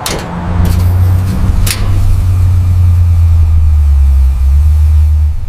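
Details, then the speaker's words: Distribution transformer supplying household electricity: steady low hum with firm 100-cycle drone and faint overtone, unchanging; normal humming from core magnetostriction on 50 Hz AC. "আমি বলছি এই শব্দটা হলো ট্রান্সফরমারের, যে transformer থেকে আমাদের বাড়িতে ইলেকট্রিসিটি আসে, সেই ট্রান্সফরমারে এই শব্দটা হয়। তো এই যে শব্দটা হয় এই শব্দটাকে বলা হয় হামিং শব্দ।"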